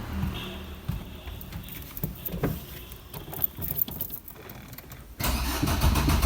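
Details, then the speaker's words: Car started after sitting unused for many days: starter churns in a steady low rhythm for several seconds without catching; long crank, no start, cause unknown, owner suspects the long idle period. "अ भी crank कर रही है start नहीं हो रही पता नहीं समझ नहीं आ रहा की दिक्कत आई है"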